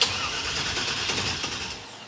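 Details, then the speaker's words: Roadkill project car with a replacement starter: even cranking for about two seconds without firing; crank no start, possibly no fuel in the tank or no spark, not yet confirmed. "it's a does not seem to me to have spark so we are going to check for power to the hii"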